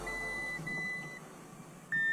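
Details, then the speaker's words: Audi S6 with newly installed turbos, first startup attempt after turbo install and front-end reassembly, no coolant in system, battery packs connected: three clear high beeps, two short and one longer, cooling system fault warning chime. "system fall well we don't have any coolant in this"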